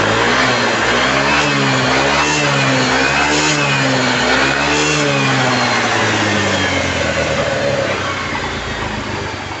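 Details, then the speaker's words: Yamaha Mio M3 scooter that would not kick-start (jammed), after teardown and repair with valve collets refitted, rear wheel raised on a block: throttle blips rise and fall crisply and evenly, no misses or knocks; engine starts right away and runs normally. "Motor langsung hidup normal, slow, langsam, bagus."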